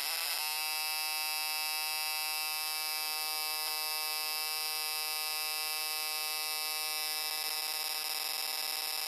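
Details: GM LS2 (D-580) coil-near-plug ignition coil bench-tested on 12 V at high firing rate, dwell around 5 ms; steady high-pitched electric buzz holds without wavering, sparking rapidly and evenly with no misses; normal.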